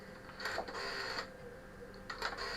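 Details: GPO 741 (Tele 741) telephone with a fault that stopped it ringing, dialling extension 21 on a Revelation system; two runs of quick even mechanical clicks with whirring dial return. Rotary dial pulsing normally.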